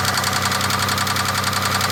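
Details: 2003 Chevy Impala 3.4L (3400) V6 at idle: a steady, rapid, light knock with an even beat over the engine note; the owner suspects a pushrod, not confirmed.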